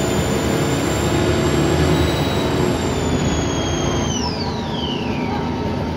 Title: Arriva The Shires Alexander Dennis Trident 2 5431 W431 XKX Route 24 To Luton. Loud Turbo Whine!!!!